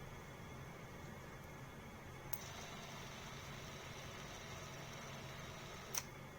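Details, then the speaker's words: Bolex D8L 8mm clockwork movie camera after cleaning, lubrication and overhaul of the spring motor, wound with full 22 half cranks, at 16 frames per second: quiet even whirr, much smoother. Finding: normal running after overhaul. "Okay, can you tell how nice that sounded? Much smoother. Okay, now at 12 frames per second. Very nice sound."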